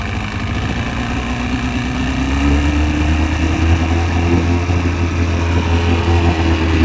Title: Piston slap 2002 Mercury outboard 115 hp